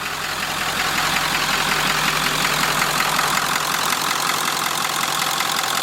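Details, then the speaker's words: 1946 Ford, cold idle on first run out of shop, freshly filled with about six gallons of antifreeze, downsized radiator, nowhere near thermostat temperature: fairly even beat, slight unevenness settling as it smooths out, no knock or misfire; normal cold idle. "pretty good size cooling system even with a downsized radiator just listen to it it's smoothing out a little"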